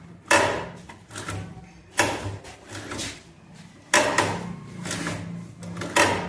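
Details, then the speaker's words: DTF printer Hiwin linear rail (head carriage): heavy clunks about every two seconds as the head travels, with rattling between; a carriage bearing came out and its plastic broke, causing jamming. "इसमें भाई bearings हैं, जैसे fan होता है ना, उसमें bearings होती है चारों, तो इसमें बियरिंग्स हैं। तो इसमें बस ये बियरिंग निकल गई थी, प्लास्टिक टूट गई थी,"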